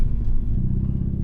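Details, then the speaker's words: MG ZR climbing steep Alpine hills at about 12 mph in first gear: low labouring rumble with uneven juddering pulses and stumbling beat, little power; misfire under load. "Sounds like an old French car that you hear struggling up the hills. I do not want to limp at home like this. This is not nice. It's juddery."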